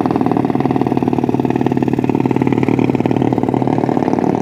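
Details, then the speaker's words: Motorcycle with a PWK carburettor deliberately set to run "helicopter"-style brebet while riding slowly: rough, choppy exhaust with an uneven chopping beat at low speed; a carburettor misfire setting unsuitable for daily use. "terus pas dipakai jalan pelan-pelan aja suaranya udah berisik banget kayak gini"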